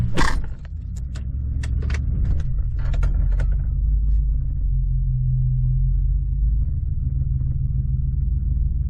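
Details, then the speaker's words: 2014 Ford F-150 after intake tube swap, no check engine light at first: low, uneven idle that lumps and wavers, won't stay running without throttle; owner suspects idle air control valve; rough idle misfire. "it still seems to be running a little rough um it's not don't seem to be idling right seems to have a little bit of a misfire at idle"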